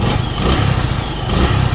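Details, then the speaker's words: Suzuki Gixxer 150 FI after tune-up with valve clearances adjusted and gasket maker applied; single-cylinder idle with an even thump and no top-end tapping, valve train quiet; normal idle. "Ayan, wala nang ingay, oh. Okay, wala nang lagitik."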